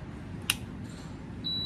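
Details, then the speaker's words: Air conditioner that will not turn on: a click then one short high beep over room hum, no fan or compressor follows; internal wiring fault. "It won't turn on , right? It beeps once when I turn it"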